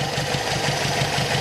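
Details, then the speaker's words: Brazilian Chevette with Solex carburetor, engine still cold after carb cleaning and idle-screw adjustment: idling a little unevenly with a faint wobble but holding steady without dying; rough cold idle. "it seems like that helped the engine's still cold so it's a little shaky but"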